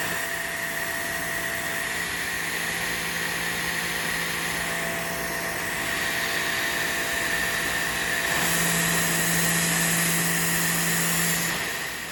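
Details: New WAP Extreme Turbo 2800 pressure washer on its first run: steady, even motor hum with a constant high tone and no knocks or surging, running normally.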